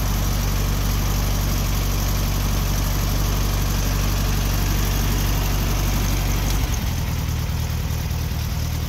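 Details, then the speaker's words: 1964 VW Beetle, 64K original miles, 40 hp air-cooled engine; steady, even idle then a clear drop in speed as the electric choke kicks down while warming up; normal cold fast idle. "hear the choke kick down right there everything just kicks off the electric choke operates like butter kicks on cold in the morning just like it should kicks down just like it should as the engine warms up"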